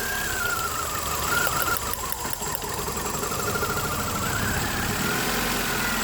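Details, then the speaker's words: Nissan Altima 2.5 (2010 listed, owner unsure of year), misfire diagnosed without scan tool: idle stumbles with irregular skips when the number two coil is pushed down; coil two arcing, number one also questionable; misfire from arcing ignition coil. "so this is questionable if I push it down then it start misfiring so we possibly have like some arcing issues with this"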